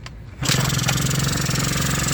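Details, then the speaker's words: Eaton Beamer Matix 2 scooter, day 5 of rebuild, kickstart correctly reassembled, choke on, battery possibly undercharged: a clean second kick with no kickstart noise, then the small two-stroke settles into a brisk, even buzzing idle. It starts properly. "We're going to do it again. Notice there was no noise when I did that."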